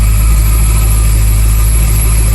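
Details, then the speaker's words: 1993 Ford Mustang Foxbody hatchback, unknown stock engine, oil pressure present, no blow-by: steady low idle with a constant high-pitched supercharger-like whine; owner suspects a bad alternator or another failing accessory. "Sounds like it's got a supercharger, but it's just a bad alternator, I believe. Maybe there's another accessory that's no good, I don't know."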